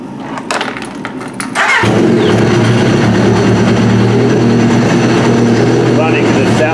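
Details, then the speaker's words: Trashed Yamaha RX-1 Mountain snowmobile with sensors disconnected, throwing temperature, oil and check-engine alerts, ridden about a mile. Cranks briefly, catches and settles into a strong, even, crisp note like a race motorcycle, no knocks or misses. Runs properly. "like a motorcycle it sounds like a race fight so that's what the temperature is so yeah i mean it does seem to run pretty good"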